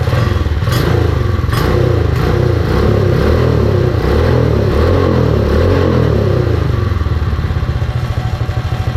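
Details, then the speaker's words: Predator 212 Mega Moto minibike engine after installing CDI Performance ignition kit, belt off: lively single-cylinder beat with light unloaded-clutch rattle, picking up cleanly with throttle; runs well and responsive. "That seems to run very well. It's very responsive."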